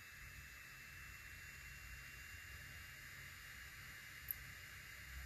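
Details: Creality Ender 5 Pro cooling fan, oiled after whining and failing at low speed, bench-run on a power supply between 12 and 18 volts: faint smooth airy hiss, soft steady tone, no whine or rattle; normal fan running.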